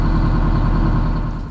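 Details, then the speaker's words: Diesel (Renko) just restarted after an oil change and a fuel pipe leak fix, self-bled by cranking: steady low clatter with an even beat, no stumbling or knock; healthy idle with good oil pressure. "i ended up just cranking it a few more times and fired up they're pretty good at self bleeding the throats got good oil pressure now happy days"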